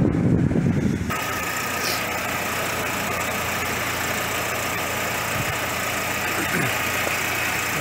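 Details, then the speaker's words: VW Passat B5.5 2.0 ALT after camshaft position sensor replacement for P0343 and rough running: brief crank, quick catch, steady even idle without stumble or misfire; runs healthy. "three she started up okay anyway so uh hopefully that's gonna be okay running from now on"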